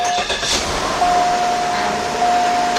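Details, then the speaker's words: 2001-2005 Cadillac Deville after rack and pinion replacement, engine started a second or two while bleeding the power steering; thin steady pump whine over the engine as the reservoir fluid drops low; more fluid added. "I heard the pump make a little noise. And at the same time, look up under it, make sure I don't see no leaks. And I heard that pump make a little bit of noise, so I know that fluid went down there."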